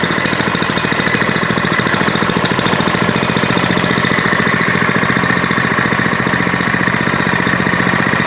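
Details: Older Kawasaki small single-cylinder engine after carburetor repair (butterfly fixed, adjustment improved): steady, even putter at constant speed with no misses or surging; running smoothly and healthy.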